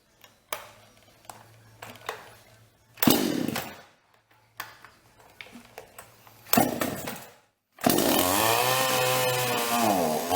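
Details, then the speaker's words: Toyama TCS46H chainsaw that starts but won't hold. It fires briefly and dies twice, then surges and cuts out, bogging when throttled. Typical fuel starvation; filter, hoses and carburetor to be checked and cleaned. "Como vocês viram aí, ele até pega, mas na hora que a gente acelera, ele afoga. Isso é típico de falta de combustível. Esse defeito aí é falta de alimentação."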